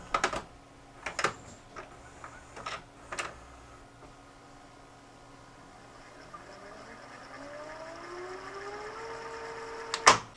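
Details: Sanyo FWZV475F VCR (Funai/Symphonic) after fitting a used capstan motor from a scrap unit, replacing the 4700uF 6.3V supply capacitor and cleaning the mode switch: clicks, a whir rising as the reels speed up, a clean clunk; normal rewind.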